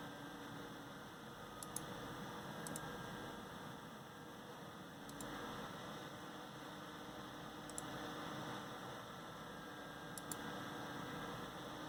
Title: amd stock fan / wraith spire loud noise 2